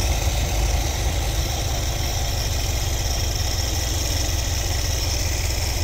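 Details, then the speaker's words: 1973 Ford Econoline 302 V8 with Edelbrock carb, re-gasketed after sitting all winter: low, lumpy, uneven idle with wavering speed. The owner suspects a clog on the carb's left side, since that bank barely affects running, and is setting the mixture screws for highest vacuum. "I should have cleaned it up but now I'm just going to adjust these to the highest vacuum I know the left side bank is going to need some work unfortunately"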